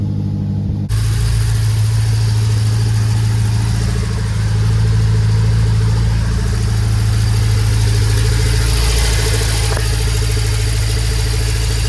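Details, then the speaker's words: BMW X5M petrol engine just started after oil filter bypass valve replacement, idle settling and dropping; low, even hum with faint pump chatter; common vacuum pump sound, normal. "idle. That's a very common vacuum pump sound. All right, the idle has dropped. Everything sounds good."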